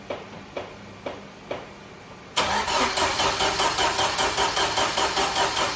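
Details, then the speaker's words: 1995 Jeep Wrangler YJ engine sat 18 months: a few slow starter clicks, then steady cranking about two and a half beats a second with no firing; spark plug still bone dry, no fuel reaching cylinder; crank no start. "No dice. Let's take out the plug and see if we got any fuel in it now."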